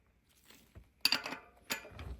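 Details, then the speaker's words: Rear wheel hub being rebuilt, rocking wheel during bearing preload adjustment: two light metallic clicks showing a tiny bit of remaining play, removed after one more slight tightening. Wheel hub bearing play. "Almost perfect. But this is still a tiny bit of a play. Like tiny bit. Can you hear it?"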